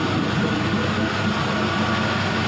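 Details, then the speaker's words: 5.3L Gen 3 LM7 V8 with 180k miles, running at 170°F coolant temperature: deep, steady rumble under a smooth exhaust note, no smoke, no ticking or knocking; healthy engine and exhaust. "just some good noises coming out of there. The exhaust always sounds so good."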